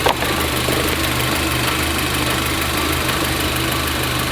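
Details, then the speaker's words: VW Golf GTI after fuel filter replacement, still running lumpy at idle; loud steady hiss of air escaping over the uneven beat, suspected from a vacuum line; vacuum leak, a snapped vacuum pipe found. "Listen, you can see how lumpy it's running. I can hear air escaping. The engine was definitely still running lumpy, and I was almost certain that I could hear air escaping from one of these vacuum lines."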